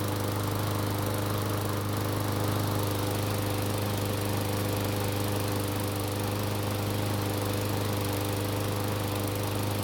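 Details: Curbside Murray mower after maintenance and compression check, first start: even, steady drone with constant buzzing pitch and no misses or knocks; engine runs smoothly.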